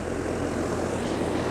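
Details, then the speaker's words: Rheem RA1630 AC condenser fan just started on a cooling call after fitting new fan blades to cure a loud bang at shutoff: steady, even rushing hum of air and motor with no knocks or wobble. Normal condenser fan operation. "okay so just started up putting out good air"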